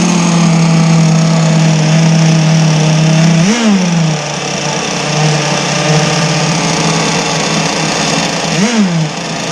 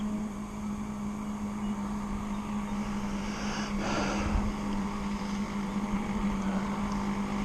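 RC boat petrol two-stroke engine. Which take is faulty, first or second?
first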